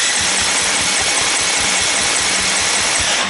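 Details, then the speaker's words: 2018 KTM 250 SX-F dirt bike that won't start: starter spins the engine fast and evenly with only weak, soft pulses and no firing; compression test shows much lower than normal, valves leaking (not lapped in from factory). "смутой потом быстро крутит стартером и когда такое происходит это значит говорит о том что компрессии нет"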